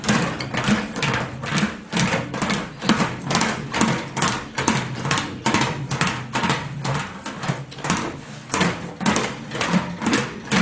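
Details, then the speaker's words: Homebuilt English wheel with 3.5-inch radius wheels set very loose to knock down lumps on a large panel: the panel hops over the lumps with a loose rolling clatter of about two thumps a second. "I've got a very loose setting I don't we just wanna knock down those lumps"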